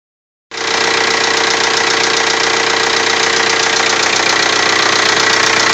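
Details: TDI diesel just after cylinder head replacement, idling: sharp fast tapping about three times a second over the diesel clatter; owner suspects a valve, source unconfirmed.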